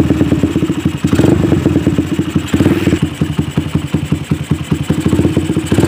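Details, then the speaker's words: Suzuki Satria FU, after repair and after reassembly with care to seat the cylinder-block oil seal rubber so oil doesn't leak: the single cylinder revs and settles in even, steady bursts, firing cleanly with no misfire or stumble; running properly now. "dan Sekian dulu video kita kali ini nyala kembali"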